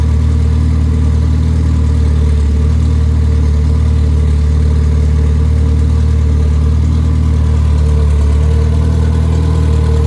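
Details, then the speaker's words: Freshly rebuilt Triumph Spitfire 1500 four-cylinder (flat-top pistons, 270 cam, head shaved to about 9.5:1, compression 190-205 psi, new valvetrain and bearings): a steady, smooth, unbroken drone with no ticking or knocking; healthy. "And but it runs real well, and we have flat top pistons in it, and took some material off the head to increase the compression."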